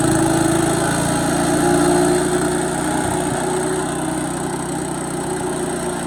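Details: Bolens 3.5 chipper-shredder, stored under a tarp and unused for at least 20 years, now cleaned up and running on its own fuel tank with a slight fuel drip, no starting fluid: small single-cylinder engine holds a steady, even buzz with no misses or knocks; normal running.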